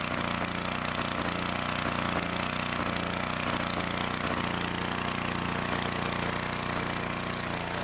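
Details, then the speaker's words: 2-cylinder engine, reassembled with the plug back in, runs with a loud, fast, lopsided pulse, one cylinder firing weakly and running cool; cause found to be backed-out bolts letting the intake manifold suck air. "still running a little cool on this side better than it was still something wrong with this thing going to have to investigate even further"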